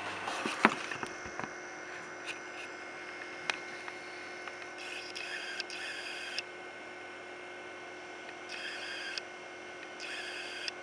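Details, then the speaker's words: Old-school computer hard disk recorded with the camera right beside the drive during a disk-intensive operation: short buzzy chattering bursts and scattered ticks over a quiet whine as the heads step; normal seek noise. "an ending to the video for those who really really want to hear that old school hard dis noise"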